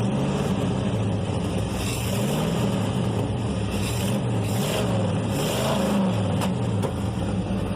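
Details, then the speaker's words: Chevrolet S10 with V8 swap, new exhaust, revving: loud uneven stumbling beat with occasional exhaust pops and white smoke; owner suspects it is running rich, cause not confirmed. "it's got to be running rich if it's popping like that"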